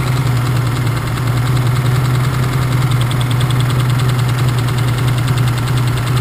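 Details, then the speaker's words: BMW engine with unresolved knock: steady idle with faint uneven knock persisting as ignition is cut cylinder by cylinder to find the knocking cylinder; source not yet pinned down. "давайте определим какое этот у нас стучит цилиндр сейчас сашка заведет а я буду по одному цилиндру снимать"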